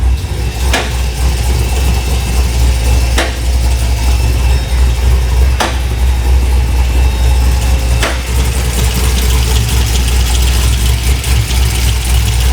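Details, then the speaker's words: Rough, lumpy V8 idle with uneven loping beat and sharp ticks every ~2.5 s, about 76,000 miles; running rich and not tuned right after a reported tune. "I do hear that sounds so weird [Music] this thing is not tuned right [Music]"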